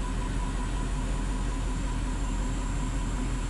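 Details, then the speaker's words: 2009 Audi Q7 4.2 V8 FSI, misfire detected: low, slightly uneven idle with irregular stumble about every third of a second and steady hiss; feels like weak compression; misfire at idle. "motor sesini dinleteyim çok anlamaya çalışıyor sanki motor Kompresyon zayıfmış gibi"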